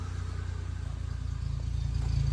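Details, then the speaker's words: Maruti Omni after engine teardown and repair: deep, even exhaust pulsing at idle that firms as revs rise, with the previous khat-khat knocking gone; water running from the silencer, engine healthy. "कोई sound नहीं आ रहा है कोई sound नहीं आ रहा कटक टक कटक टक करता था सब बंद हो गया"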